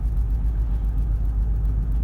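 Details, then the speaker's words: Steady deep rumble while driving, which changes when braking, with steering wheel and car shaking after 10 minutes of driving; left front brake caliper sticking, wheel extremely hot, rotor scored from overheating. "the caliper stickin and steering wheel and everything shaking"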